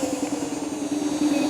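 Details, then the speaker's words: Kaabo Wolf Warrior 11 Pro+ 2WD electric scooter slowing from about 44 mph with ABS setting on: steady motor hum throbbing in quick, regular pulses, normal ABS brake cycling. "I hope you could hear that. That's the braking, okay? When you have that ABS setting on"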